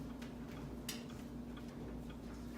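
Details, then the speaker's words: Used Whirlpool 29-inch dryer, heard from a distance: faint thuds about every half second, one clunk per rotation from the warped drum striking, carrying into the next room. "the most irritating factor about this is that as soon as you move further away from the thing the dryer you do not hear the sound of the dryer so much but the clunk still carries"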